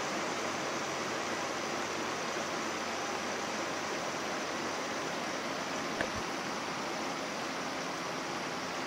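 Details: Window air conditioner (one of several: Haier, Sharp, Samsung, GE 6500/8100 BTU, LG 8000/9500 BTU inverter) on cool at high fan after low and medium; soft even rush of air, steady blower, no knocks or rattles; quiet unit, normal operation, not mounted in a window.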